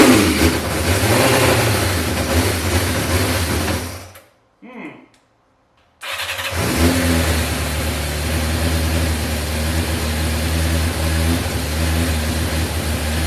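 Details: 1986 Yamaha FZ600 four-cylinder, first start after 15–20 years, fresh oil, newly fuelled carbs: catches, blips up in revs, drops out briefly, then restarts and settles into a steady even run; sounds healthy.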